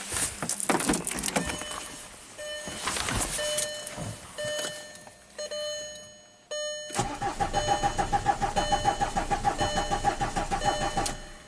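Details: 2005 VW Passat TDI diesel under 200k miles, crank no-start after cylinder head and camshaft swap, cam timing shifted 5 degrees retarded for testing: starter cranks in uneven bursts, about three turns a second, never catches. Crank no-start.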